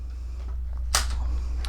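A single crisp shutter clack, then a lighter click, over steady mains hum; the release fires cleanly and sounds normal.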